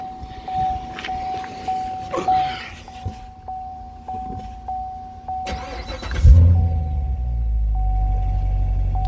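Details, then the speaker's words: 2014 Corvette Stingray pre-purchase inspection: chime ticking, then V8 fires promptly and settles into steady even idle with no knocks; starts right up and runs well. "it all does start right up run well"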